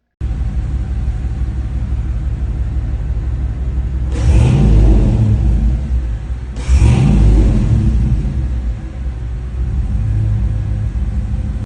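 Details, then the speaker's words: Chevrolet Tahoe V8 with redone full exhaust, X-pipe and revised tune: deep smooth rumble swelling cleanly on two throttle blips and settling, Camaro-like note. Normal exhaust note. "and if you listen carefully you will hear what the Tahoe sounds like with the uh full exhaust uh it sounds actually I think it sounds really good because that xpipe almost sounds like a Camaro"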